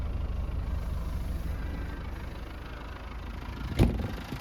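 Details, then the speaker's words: 1991 Land Rover Defender 130 200Tdi diesel, 77,000 miles: low, soft, even diesel rumble at idle with no knocks or misses, one brief click near the end; runs smoothly, clean oil, no back pressure or smoke from joints. "and the engine CS like a sewing machine nice clean oil no back pressure and no smoke out of joints all looking good"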